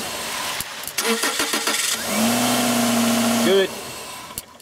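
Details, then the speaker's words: 1995 Subaru Legacy 2.2, after the new igniter was installed to fix the no-spark, no-start: a few quick cranking beats, then it catches cleanly and settles into a steady, even run. Good spark, normal start and idle. "so uh obviously we got good spark now the car runs bad igniter"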